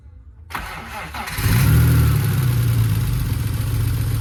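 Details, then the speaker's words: BMW E46 with a newly installed used replacement engine, cranking on a battery charger after priming before first start: even, strong, regular pulses about four per second; good compression. "Sounds like it has some pretty good compression."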